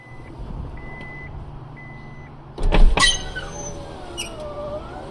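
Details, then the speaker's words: 2002 Honda Accord V6 coupe driver's window before regulator replacement: chime beeps, then a sharp clunking burst and a strained, wavering motor whirr from the failing window regulator. "today we're going to be replacing the driver's side window regulator here's what it sounds like right now"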